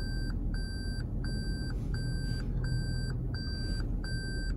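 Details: 2021 Toyota Prius hybrid reversing in R under automatic park assist, driver only on the brake: clean high beeps about every half second over a quiet cabin. Normal parking sensor proximity warning.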